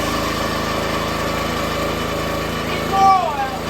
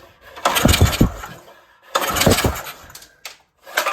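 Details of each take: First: Brand-new minibike single-cylinder engine, about 2 minutes of run time, on its first start after repowering a $200 log splitter: steady, even drone, no misses or knocks, no leaks; runs well. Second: Compression test cranking the original small engine on a $200 log splitter, choke and throttle open: two slow bursts with weak, even puffs and no firing, air blowing out the carb; very low compression, likely from a leaking intake valve.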